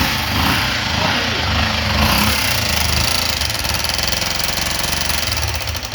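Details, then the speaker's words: 2003 Honda Fan 125 single-cylinder engine at idle with a busy, clattery tapping from the top end; owner believes the two small pushrods are the cause. "o barulho galera esse barulho eu vou est abrindo mesmo aqui ó eu acredito que seja essas varetinhas aqui ó"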